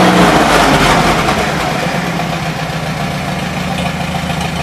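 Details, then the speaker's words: 1953 Farmall Super H tractor, cold day, running on fresh gas with 12-volt coil on a jump box: settles into a steady, even idle, no stumbles or misses; running well, though the carburetor leaks. "damn good that's fresh gas now I'm happy"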